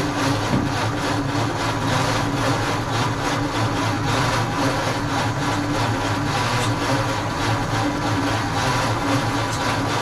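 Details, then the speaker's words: 1948 Ford F5 truck, dormant nearly 30 years, cranked with starting fluid and the battery on a charger: the starter labours at about three sluggish compression beats a second and never fires; owner suspects a weak battery, and spark and timing are still unsettled. "doesn't sound like it's turning as quick as it was before I wonder if my battery is still not oh no I got got the charger on right"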